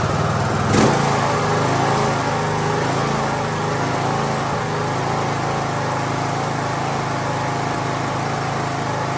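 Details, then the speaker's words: Craftsman YT3000 riding mower with a donor engine and new carb, run off a jumper pack with no battery: first start, fires right away and settles into a smooth, even idle with no misses or knocks. "Well, so far I would call that a win."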